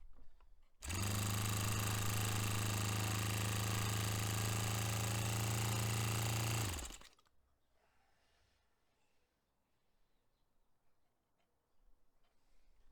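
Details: Restored Saito FA-45 Special four-stroke on a test stand, 10% nitro fuel, warmed up. Holds a flat, steady high-pitched scream at full throttle for six seconds, then cuts cleanly, peaking near 10,260–10,300 rpm against a manual peak of about 10,300. Normal run; richened slightly after.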